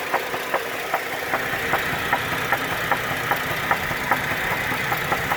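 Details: 2010 GMC Acadia, 79k miles, codes P0300, P0301, P0303, P0305, P0193: sharp, evenly spaced knocks about two and a half per second over a rough idle; internal engine knock, cause not pinned down.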